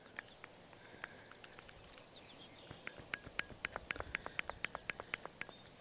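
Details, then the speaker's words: Woodland Mills HM126 sawmill at 230 hours after heavy milling of big logs: sharp light clicks about four a second as a worn, loose clutch pulley bearing is rocked by hand inside its housing; bearing to be replaced. "see how that bearing is loose see if you can hear"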